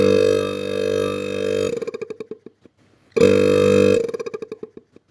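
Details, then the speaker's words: Refrigerator motocompressor after repair, test-run briefly without oil: steady even hum in two short runs, each ending with a brief spin-down rattle; the earlier loud knocking is gone. "quedó funcionando perfectamente ya no hace tanto ruido Como hacía el golpeteo así que ya estamos tranquilos de que tenemos otro motor para utilizar en nuestras heladeras"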